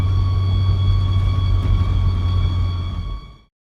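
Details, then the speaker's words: Volvo V70 XC driving, steady high squeal over low road rumble; no noise at idle, apparently only when the car is rolling; cause unknown. "That's not annoying or anything. No noise at idle. I guess it's only when the car is rolling."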